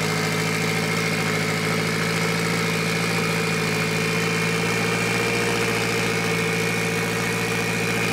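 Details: Mitsubishi Evo 8 4G63T turbo engine on the lift, at first start after a rebuild. A smooth but elevated idle with a steady whistle on top. An air leak was suspected.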